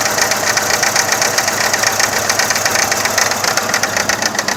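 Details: 2000 Saturn SL2 with a rough idle that dies in gear, still misfiring after new plug wires and a new #1 spark plug: uneven, stumbling, lumpy idle under steady ticking. The owner suspects the remaining plugs or coil packs.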